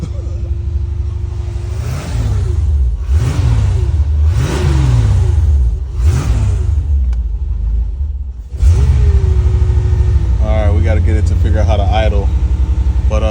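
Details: 1985 Chevrolet C4 Corvette, 250k miles, sitting a couple of years, first fire after fuel pump replacement using starter fluid, 10 volts on battery, fuel gauge on E: catches, blips through several revs, then settles into a lumpy, uneven, hunting idle.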